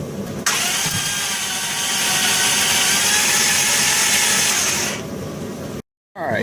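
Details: 2001 Dodge Grand Caravan EX, over 324K miles, crank no start with odd cranking noise: starter spins the engine at an even, fast whirr for several seconds but it never fires; damaged intake valves found.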